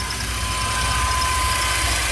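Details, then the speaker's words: GMC Safari 4.3L Vortec V6 with code P0305 cylinder 5 misfire, after new platinum plugs, cleaned cap and rotor and repaired wires, still smoking a little: steady smooth idle, no misfire stumble. "let it run for a bit sounds quiet see the difference in a note"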